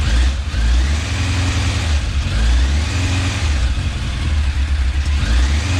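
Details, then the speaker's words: Restored, rebuilt 1989 Kawasaki ZX10 (ZX10B), first start-up on a little choke: deep steady exhaust burble at idle with small revs, no ticking or knocking or leaks; runs well, may need carb balance later. "It doesn't seem to be leaking or anything. It sounds like it's running quite well."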